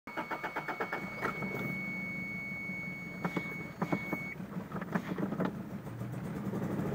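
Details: Toyota Tercel that sat unused for over a year: engine cranks and catches, then stumbles at idle with uneven, lumpy pulses and irregular thumps; owner suspects a severe misfire.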